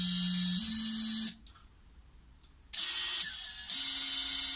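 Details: Xing 2207 brushless FPV quad motor after replacing bearings with 684ZZ 9x4x4: clean high whine stepping up in speed, cutting out and spinning back up with no rasp or rattle; normal running.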